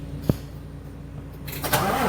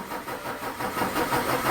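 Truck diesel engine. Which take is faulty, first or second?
second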